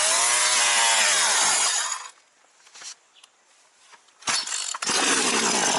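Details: Partner 351 chainsaw: runs on choke but stalls with choke off or when throttle is added. High-pitched saw runs briefly, dies to near silence for two seconds, then picks up again; unstable running, likely carburettor mixture.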